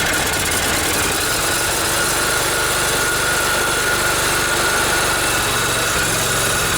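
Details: Kohler Command 20 hp OHV V-twin on a sewer-jetter machine, test run after the carburetor was cleaned and repaired, air filter off: steady even idle, low thrum, no misses, surging or stalling; running smoothly.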